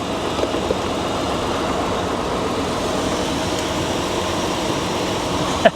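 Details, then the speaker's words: 2002 Honda Odyssey minivan, about 20 years old, bought from auction, alternator charging: quiet, smooth, even idle with no knocks, ticks or misses, just a soft hum; healthy normal idle. "hopefully the alternator is charging it is it runs perfect listen to this you probably can't even hear"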